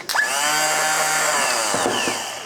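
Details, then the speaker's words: BMW K100 motorcycle starter motor spins up with a clean rising whine and runs smoothly with no grinding; motor works, but per the manual, starter rotating without turning the engine suggests a defective starter sprag clutch. "But then I kept thinking about it, and if I can hear that spinning when I hit the button, this has got to be working, because it's not like a car starter motor where it throws out. It's just engaged and it turns."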